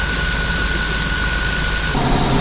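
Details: 454 V8 motorhome idling smoothly after replacing corroded, rusty distributor with failed HEI module, which caused backfiring through the throttle body; steady even low rumble, no intake pops or coughs.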